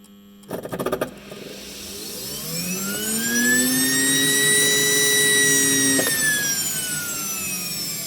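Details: Mammoth unit: low hum, then fan spools up with rising whine and runs steadily but no ignition follows; bad igniter causing no start.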